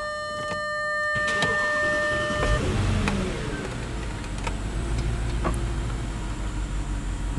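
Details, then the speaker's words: 2009 Audi Q7 4.2 V8 FSI with random-misfire complaint: after a dash chime, engine starts and settles into uneven idle with stumbling, irregular beat; car still misfiring. "araç hala tekliyor"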